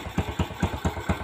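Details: Vega motorcycle engine after repairing the stripped spark plug thread without engine disassembly: even, steady idle thump about four to five times a second with no misses or rattles. Normal idle.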